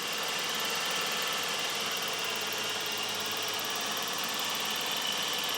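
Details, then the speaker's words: 1989 Ford Ranger 2.9 V6 at rough idle: steady high whistle over hissy idle near the intake; pinching the PCV hose stops it, so the faulty PCV valve is suspect and replaced. "to verify we can pinch the PCV hose and the whistle goes away all right so we know that part is suspect"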